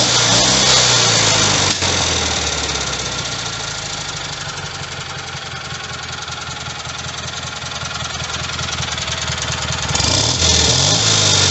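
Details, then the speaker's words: Rebuilt Kohler Magnum M18 single from a Cub Cadet 1882 on a test stand: fires right up and settles into a quick, even beat with no knock or miss; engine runs healthy. "here it is in all its glory fire's right up man"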